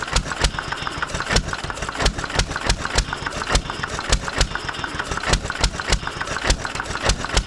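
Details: 1920s Taylor Model B hit-and-miss vacuum engine, long unused, restarted after fuel work, choked to burn old gas; loud sharp pops three to four a second, unevenly spaced between coasting beats, running properly, steaming in the heat.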